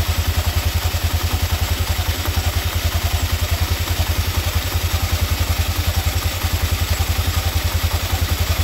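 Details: Scooter after clutch bell replacement (grooved/regrooved bell), test run: steady putter at idle with an even low beat, no knocks, rattles or slipping; normal idle.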